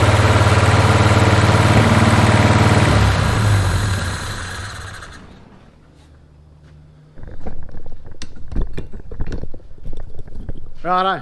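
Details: 1981 Toyota Hilux RN46 4x4 with 18RC engine, rescued non-runner fed from a fuel can: loud, lumpy, misfiring run with backfires, then dies; seems to run on all cylinders, owner guesses timing is still a little out.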